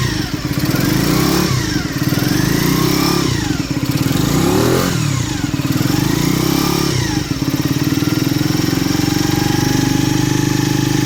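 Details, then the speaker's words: Skyteam Ace 50 moped, brand-new Zongshen HY50 4-valve twin-cam engine (Honda Dream 50 copy), not yet run in, two-into-one exhaust, kickstarted cold; even idle rising and falling through smooth revs, no knocks or misses; normal cold running. "well it's still cold but that's the sound I think it's a great sound for such a little engine"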